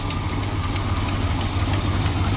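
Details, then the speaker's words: 1972 Plymouth Fury ex-police cruiser, 440 big-block V8, revived after nearly a decade of storage; valve cover leaking some oil onto the exhaust. Deep, steady low rumble with an even beat, no knocks or misses, smooth idle. "dude it's purring like a kitten"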